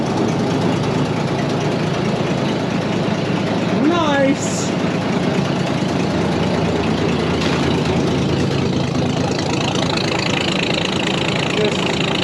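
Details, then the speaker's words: Barn-find Massey Ferguson 300 combine six-cylinder, just started, with oil pressure up and charging: a steady, low, even idle with no knocks or misses as it warms up. Normal idle. "sweet little six cylinder it's not that wild just you sit there and run idle"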